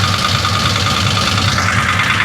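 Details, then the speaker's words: 1966 Chevy Impala 427 big-block V8 that ran poorly last drive: loud, harsh idle with busy clattering rasp over low rumble; owner insists it is top-end valvetrain noise, not rod knock, ahead of a valve adjustment. "Ooh, she's loud. I had a few people tell me that's the rods knocking. Guys, that's not the rods knocking. Your rods ain't knocking. That's the top end. 100% the top end is making noise."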